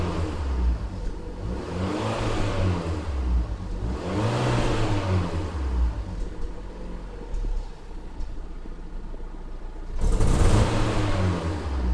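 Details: Fiat Punto (188) petrol engine misfiring: revs rise and drop in waves, and the exhaust note stumbles unevenly instead of running smooth.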